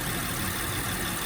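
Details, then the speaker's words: 2007 Honda Pilot engine idling after topping up low power steering fluid: the whine from the pump drawing air is gone, leaving a steady idle with a rough hiss. The pump is working properly. "Si ven, el ruido desapareció. Se pueden dar cuenta, el ruido ya no está. El ruido ya no continúa, amigos."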